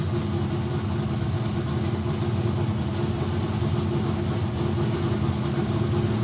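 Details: Kyle Petty Pontiac race car V8 running in shop after electrical fix and carburetor bowl priming: deep, loud idle with steady throbbing lope, no knocks or misses; healthy, though cranking voltage drop remains, rewire planned.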